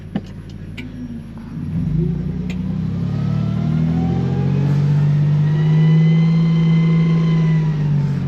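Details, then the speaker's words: Truck with home-made sequential transmission controller, driving under load in overdrive with transfer case and reduction box in low range: engine pulls steadily with a faint high whine climbing with speed, normal overdrive gear whine, shifts working properly. "I don't know if you can hear the whine from overdrive, but I am actually in overdrive in my triple low gear."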